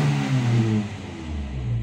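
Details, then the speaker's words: Toyota Kijang 7K carburetted engine after carburetor cleaning, formerly stalling intermittently at idle: steady low hum with only mild rises and dips, no stumbling or dying; idles normally, idle speed still too high. "sudah tidak mati-mati. Yang dari sebelumnya pada waktu putaran idle, mesin ini mati-mati teman-teman."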